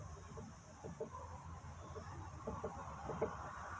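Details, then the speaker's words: 2014 Honda Fit, front suspension: irregular light clunks and clicks as the stabilizer link (bieleta) is rocked by hand; it looks fine and isn't visibly loose but has play; this is the cause of the loud front suspension noise. "nesse caso aqui ela não apresenta da solta nem nada mas ela tá fazendo barulho quer ver ó e é tem uma folga ó"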